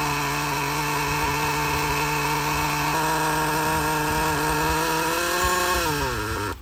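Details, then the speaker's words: Used Traxxas Slayer nitro RC truck after replacing the faulty glow plug, fitted with a homemade tube-and-tape silencer: high buzzy scream holds steady pitch then winds down smoothly before cutting out; running normally. "okay so we got it running the main thing is get it running"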